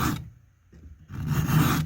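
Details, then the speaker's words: Hand-filing a chainsaw chain cutter at 30 degrees, file held parallel with the bar and braced against the body: two slow strokes with a deep, low rasping grind as the file bites firmly, correct file contact. "and for me you can hear that nice deep grind so i'm grinding good now"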